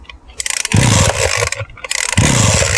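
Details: Two-stroke weed trimmer run on petrol and oil mixed 25:1 or 50:1, which would not start. After 50+ recoil pulls with the fuel valve fully open and no repair, two pulls catch into a rapid rasping buzz and the engine runs normally.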